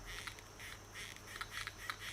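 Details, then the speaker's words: Xinlehong Q903 RC truck air-filled rear shocks after a week on sand and dirt, pushed by hand: short squeaky creaks in repeated bursts, freer than fronts but still creaking. Creaking shock absorber. "while still still sounding bad well I mean they're creaking a bit they're a lot Freer than what the fronts are"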